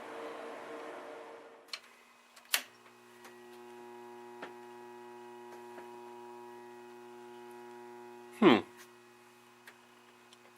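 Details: Steady low electrical hum with faint buzz from test equipment, unchanged when a load is switched on; owner suspects transformer laminations vibrating, possibly normal for the unit. Transformer hum.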